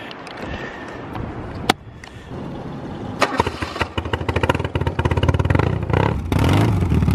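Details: 1980 BMW R65 custom build after restoration, with a locked-up bearing repaired using a fabricated sleeve between the bearings and shorty exhaust pipes: brief crank, then the twin catches and settles into a lumpy but even beat that picks up cleanly; healthy start and idle.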